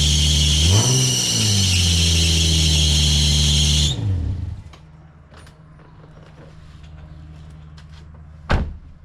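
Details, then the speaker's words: Nissan 350Z just after startup: shrill piercing squeal rides over the engine for about four seconds, then fades; worn serpentine belts slipping, needing replacement. "the only thing that she needs is some belts when you start her up she sounds like an over dramatic porn star there's just all sorts of screaming squealing all sorts of I'll show you in a second"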